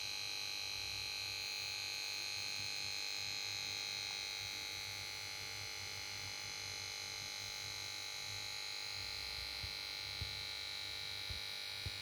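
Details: Samsung PS42A410C1XBT plasma TV: on standby it plays its switch-on melody, then only a constant high-pitched electrical whine and buzz from the power board, no picture or sound; set won't start.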